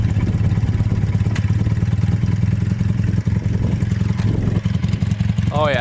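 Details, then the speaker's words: Honda trike with CM400 twin after two hours cleaning badly clogged carburetors (owner suspects it ran on one cylinder before): deep even exhaust pulsing, no misfire, stumble or knock; revs out now. "she revs out now I mean it's not the fastest thing in the world but it's pretty fun"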